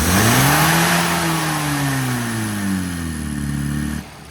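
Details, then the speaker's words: Classic Mini engine on a road tune: revs up cleanly, then sags and falls away with the throttle held open, running out of fuel; several needles tried without change, cause unresolved. "So, what you can see there is as you open the throttle, she just runs out of fuel."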